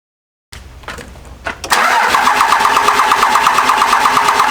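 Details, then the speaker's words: Second-gen 24-valve Cummins diesel cranking after injector lines were cracked to bleed air (fuel reached 3, 4, then 1); uneven hit-and-miss bursts stumble and catch, then it fires and runs rough briefly: air in the injection lines. "Started cranking the truck over, a little hit and miss here and there, a little hit and miss, and she fired up. So fired up, kind of was running a little weird there for a minute."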